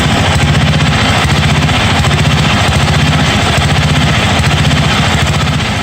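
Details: 1982 John Deere 108 mower, first start: lumpy, uneven single-cylinder beat that hunts and stumbles. Jet adjustments did not help; owner says the carburetor is faulty and needs replacing.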